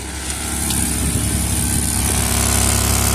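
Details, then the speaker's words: Minivan idling just after exhaust repair: smooth, even idle with a steady low drone and no puffing or ticking at the joints; the repaired joint is not leaking and the exhaust is healthy. "Okay, so we're gonna go ahead and start this bad boy. We're gonna see how quiet it is. We're gonna see where it's leaking from. Oh, it's so quiet. Oh my goodness, it's so quiet."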